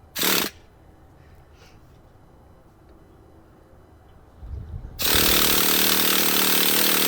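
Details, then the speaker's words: Traxxas Jato nitro RC engine, heavily abused and being restored, on the first start attempt with an igniter: two bursts of high starter buzzing, no combustion. Owner suspects too little fuel in the carburetor. Cranks, won't start. "first attempt didn't go so well we didn't hear any type of combustion there on the engine"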